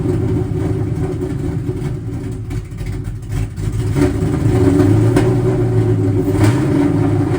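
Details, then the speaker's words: Cobra running for the first time in two years, idle expected to be unhappy: deep, lumpy V8 idle that hunts unevenly, with occasional sharp pops. It is backfiring and the cause is unknown. "I still hear the car backfiring a pretty fair bit. I don't know why that is,"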